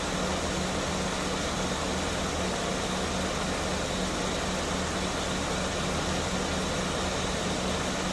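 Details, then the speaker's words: Mercedes-Benz S280 at idle after A/C repair (leaking hose replaced, new drier, recharged), cabin vents reaching about 5°C in 33–34°C afternoon heat: steady fan rush over smooth engine hum, no compressor rattle; normal A/C operation. "อ่าม.คมีเสียงการทำงานปกติทุกอย่างนะครับ"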